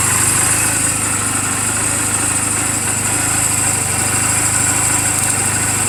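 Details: 2007 Honda Rebel 250 idling in neutral just after an oil change and valve clearance adjustment: a steady, smooth low thrum with no knocks, misses or rattles. The charging voltage reads about 13.0–13.4 V while running. A normal, healthy idle.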